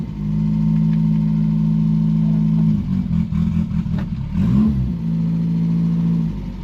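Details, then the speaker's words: 1977 Daihatsu F10 with a 1990s 3K engine swap, a junk carb and a junk fuel pump: steady idle drone that sags and stumbles and barely catches. It stays rough and keeps dying even as it runs longer; cause not yet found. "I was hoping it' get better the longer it run, but it really isn't. It's still being real daughtery and dying."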